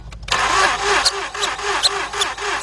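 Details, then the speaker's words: 2006 or 2007 Mazda 6 V6 from auction, cranks but won't start: fast, light, even cranking, no labored compression pulses; hose test at plug hole shows one cylinder dead, others weak. No compression; oil changes neglected, timing chain has play. "Notice that? Not a damn thing came out of here. Those two showed a little bit of signs of some kind of compression, but that one dead."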